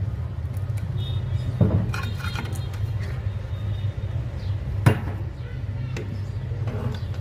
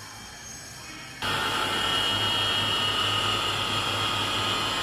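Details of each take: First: Chinese-made small water pump motor before bearing replacement: loud, rough, annoying low drone from worn bearings. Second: Chinese water pump motor after bearing replacement, previously noisy: switches on and runs with a steady hum and even high whine, described as its normal sound.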